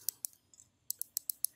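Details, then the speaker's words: Mouse button microswitches on a DragonWar Thor ELE G9 mouse, opened with circuit board out, clicked by hand: eight or so sharp, crisp, snappy high clicks in quick bursts; very clicky means good tactile response, normal microswitch click. "you want then you want them to be very very clicky so the better the click the better the button is because that's more tactile response"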